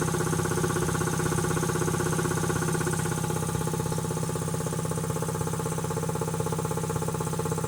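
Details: Quincy QT-5 (QT5) compressor pump, first run after rebuild: even, steady thumping around three beats a second with no knocks or rattles; runs smoothly and healthy.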